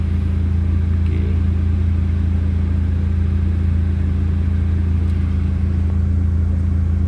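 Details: Proton Waja MMC automatic after engine overhaul, ECU flash and K20 coil-on-plug, high idle caused by drifted idle timing setting: after resetting the idle timing, steady even low hum with no misses, knocks or hunting; smooth idle.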